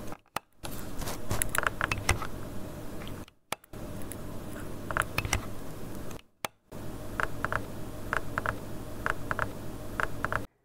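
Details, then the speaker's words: Failing kitchen three-way light switch with a wire or contact burned through: irregular crackles and sharp pops over a low hum, cutting out briefly, arcing across burned contacts; switch to be replaced and cleaned. "well I thought it wasn't crackling till I took that last scene into the editor and it sure as heck is so uh yeah we got to get in here and replace that"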